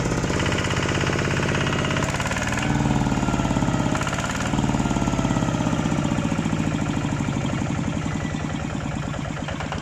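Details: Kubota ZT155 Plus single-cylinder diesel at idle: a firm, even thumping beat at about three and a half per second, with no misses or metallic knock. It is a normal, solid idle.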